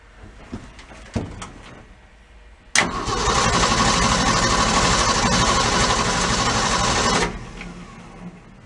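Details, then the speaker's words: 1965 Ford E100 pickup that sat a long time, fuel system being sorted: several starter attempts, then it runs about four seconds and dies abruptly. Stalls after starting; an empty tank or fuel pump problem is suspected, not confirmed. "I hope that that is the tank being empty so let me go pop around the fuel pump remember"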